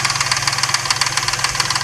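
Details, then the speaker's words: Truck with suspected lifter tapping, after adding Marvel Mystery Oil, just started: light, even metallic ticking about eight per second over a steady idle. The occasional rattle seems to fade over the minutes. "I hear a slight rattle every once in a while but it just seems to like it's been diminishing over over the minutes actually"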